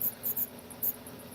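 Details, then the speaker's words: Electric fan in a trailer: short, shrill squeaks in irregular bursts over a faint, steady fan hum. The owner turns it off; the cause of the squeak is not found. "let me kill this this is killing me this squeak it's been sitting here for over a week"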